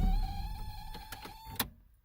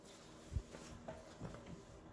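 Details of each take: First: Original key-reminder buzzer in a Toyota MR2 AW11, heard when starting the car: a steady, raspy buzz at one pitch for about a second and a half, then cuts off. Rough, tired-sounding buzzer. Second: Toyota MR2 AW11 after swapping the original buzzer for a modern, Yaris-like one, tested with the key in the ignition: after handling clicks, a clean, steady high-pitched tone. Sounds much nicer than the dying original.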